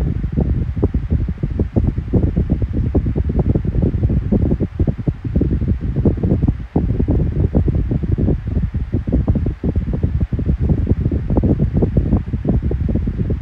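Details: Kool-Flo SFC2-300B 12-inch three-blade high-velocity fan, running after oil worked into the bearings. Steady low whirring with a light air flutter and no squeal or grinding; the bearing issue is gone, with a hum on low and medium but not high. Normal.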